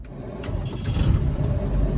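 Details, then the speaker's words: 1993 Land Rover Defender 90, 2.5 L 200Tdi turbo diesel, cold start after glow plug heaters: low rumble catches cleanly into a firm, steady diesel beat; normal cold start. "there's a tiny plume of smoke on startup which is normal but in idle there's no smoke running great"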